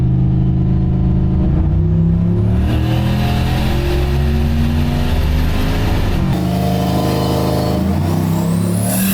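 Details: Turbo LS-powered Oldsmobile on a Holley Terminator X, full-throttle dyno pull making about 509 hp: a strong, clean, unbroken climb with no misfire or knock, fuel pressure good.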